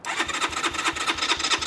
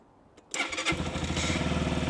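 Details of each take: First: Keeway RKR 125 single at 6,430 miles, push-button start: fuel pump runs and relays click, and the starter turns it over at about five even pulses a second but it never fires; owner first suspected the battery, and it later ran once the crusty spark plugs were replaced. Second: Keeway RKR 125 motorcycle, 6,430 miles, after fitting new spark plugs and using a booster pack: it cranks, catches within a second and settles into an even single-cylinder putter, slightly hesitant; a normal start and idle.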